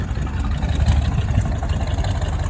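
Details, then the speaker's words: 1974 El Camino with original LS4 454 big-block, carburetor rebuilt after sitting parked since 2008, idling with a deep lumpy, slightly irregular beat and a slightly rattling belt; not the smoothest running. "okay wouldn't say it's the smoothest running car in the world"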